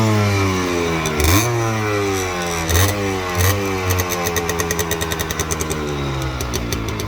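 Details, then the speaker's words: Restored Gilera KK125 two-stroke, cold: fires and idles with even burble, crisp throttle blips rise and fall, then steady rapid crackle; healthy. Normal cold start and revving. "Adesso è fredda, facciamola scaldare un attimo. Gira che è un orologio."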